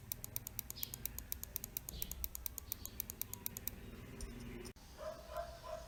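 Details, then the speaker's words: Mouse after its double-click fault was fixed by replacing the original switch: a run of crisp, snappier, normal-sounding clicks, about five a second. "the clicking sound is also different on the Japanese switch versus the Chinese switch"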